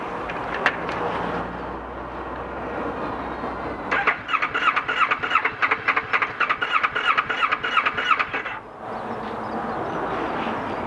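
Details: 2012 Kawasaki ER6N, warm after a 7-mile ride and 2–3 minutes off, EML light flashing, connections and fuses checked OK: fast pulsing crank for about four seconds, never fires; owner suspects crank or cam sensor.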